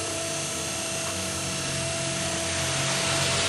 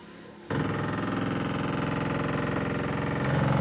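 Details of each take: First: ZAZ Tavria/Slavuta two-speed permanent-magnet windshield wiper motor, bench-tested after repair for sticking in the left position with a crackling noise: steady, even electric hum with a clean high buzz, no grinding or clicking; runs normally. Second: ZAZ Tavria/Slavuta windshield wiper motor (two-speed, three-brush, permanent-magnet) sticking in the left position and stopped working in one direction: coarse, labouring buzz with three or four rough pulses a second and a crackling sound, like worn gearbox teeth grinding.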